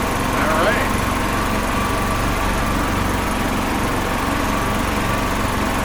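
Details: 2005 Club Car Precedent gas golf cart, revived after about 5 years sitting, run slowly after adding just over a gallon of fuel to prime the fuel system. Small single-cylinder chugs at an even, steady low-speed putter with no misses or knocks; healthy idle.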